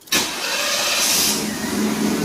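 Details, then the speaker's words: 1982–92 Firebird/Camaro after replacing the failed fuel pump and tank, restart with the pump heard priming: catches almost instantly on the first turn and settles into a steady, even idle with no long cranking. "fires right up. Alright. Awesome."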